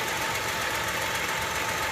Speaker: so they do come apart they do fail and they can cause that kind of a noise that little tinging noise that you hear and its masks sometimes as a pump or other pulleys